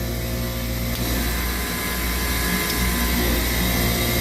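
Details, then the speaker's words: Copeland digital scroll compressor: steady hum with a tone shift as the unloader solenoid activates when the controller's amber light comes on, passing discharge back to suction. Normal digital scroll unloading cycle. "s trying to unload every time the amber light comes on the solenoid will be activated and it will be unloading right"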